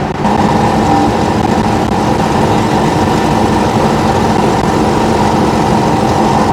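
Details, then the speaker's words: Ford Falcon after a new stainless-steel exhaust with a J pipe and muffler, heard in the cabin while driving: steady, even engine note over road noise with no booming cabin drone, so the drone is gone. "so the Drone gone the jpipe was pretty much all I needed I don't think I needed the muffler cuz it sounds like a sewing machine now which is fine"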